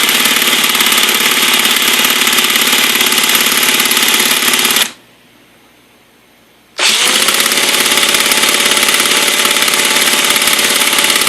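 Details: Redcat Racing VX 16 nitro RC engine, sat for years, new glow plug, igniter, fuel line, gasket, coupler, air filter, cleaned carb, good compression: steady high starter buzzing, pause, more cranking; cranks but never starts, needle settings unknown.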